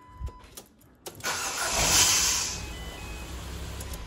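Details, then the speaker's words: Ford Fiesta Titanium 1.4, Cat N salvage rebuild, starting: harsh, high scratchy screech for about a second as the engine cranks and catches; owner says the starter motor is beginning to fail, car still starts. "like a screeching scratching well those that you know those of you know in the know that is the starter motor it hasn't actually completely gone because the car starts obviously um but it's starting to screech and scratch"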